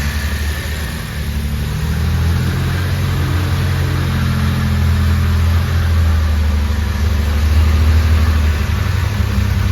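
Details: Jaguar E-Type Series 2 first start after complete rebuild, oil and coolant topped up, fuel pump primed: deep steady idle rising smoothly with throttle, even firing, no knocks or ticks; healthy.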